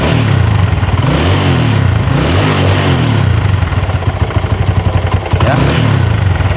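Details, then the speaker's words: Honda Tiger 2000 motorcycle, complaint of noise at the cylinder block: single-cylinder engine blipped repeatedly with a loose rattling clatter over the exhaust; suspected cam chain or tensioner rubber, not confirmed. "Ya seperti ini suara ngeletek tapi lebih besar daripada klebermann"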